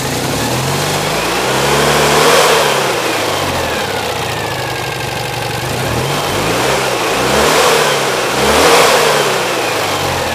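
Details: Citroën 2CV flat twin with newly fitted engine, on the driveway without bodywork, even idle then repeated clean revs up and down, no knocks; carburettor jetting thought entirely wrong, still on old jets. Normal running and revving.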